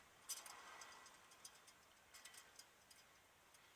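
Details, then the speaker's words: 1998 Dodge Ram 1500 4x4 removed front right wheel hub, spun slowly by hand. Irregular sharp clicks and light rattling, like needle bearings falling out: a worn hub bearing, since replaced. "sounds like needle bearings are falling out all the place"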